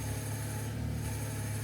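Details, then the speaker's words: Vauxhall Insignia power steering, with the steering dragging on its own toward the end of the stroke: a steady low hum with a faint droning whine over the idle as the pump strains, a failing power steering pump. "And by the time you get to the end of the stroke, you can actually start to hear the power steering pump."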